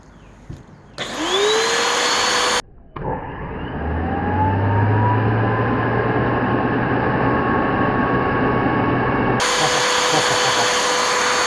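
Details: Bissell Powerforce Helix vacuum, waterlogged curb find: motor spins up to a steady whine with a low hum and stays even, with no grinding or rattle, so it runs fine.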